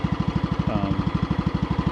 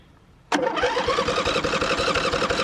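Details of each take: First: Riding mower running on old gas with blades engaged and electric clutch working: steady low chug about twelve beats a second that never climbs; RPM held low by a dead stop on the throttle linkage, even with the cable tightened. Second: Riding mower on a stronger John Deere battery, after earlier hard cranking and jump-starting: strong, even cranking at about four compressions a second for five seconds without slowing; normal cranking, good connection.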